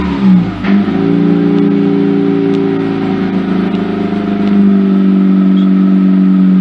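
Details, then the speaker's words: Mazda RX-8 rotary engine after new Black Halo Racing coils, MSD wires and plugs, about a minute after a cold start and not yet warm. A quick throttle blip settles into a smooth, steady hum; the earlier popping is gone. "it's getting close but it does sound smoother to me I don't hear the popping"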